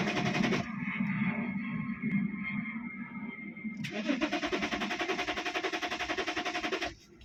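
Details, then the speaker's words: 2010 BMW E60 3.5 diesel, 285 hp, hot, bypass wires removed: steady fast starter whirr of three to four beats a second with no firing; crank-no-start, fuel pump not running, ECU suspected overheated (maybe 100 degrees), errors 6292/6293. "It will never start because, as I said, this ECU maybe now have 100 degrees over there."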